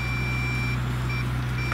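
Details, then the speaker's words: MJX Bugs 3 Blue Edition brushless drone low-battery warning: a steady repeating high-pitched beep over a low motor hum while the drone's lights blink. "listen to this beeping hear that when the battery's low and the lights are blinking on the lights blink on the Drone and you get a beep"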